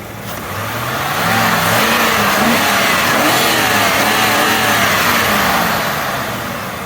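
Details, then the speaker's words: Lincoln Aviator after IAC valve cleaning, free rev: engine blips cleanly up and smoothly back down, no hesitation or stumble, where it previously hesitated at lights. Normal free rev. "now I can hear all the cold air coming in yeah that's how it should"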